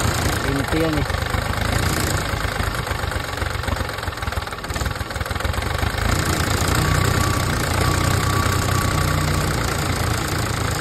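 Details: PC10 excavator small diesel that would not start, after fuel return line work: uneven, sluggish idle with irregular knock about four beats a second; rough running from air still in fuel system, bubbles in return line.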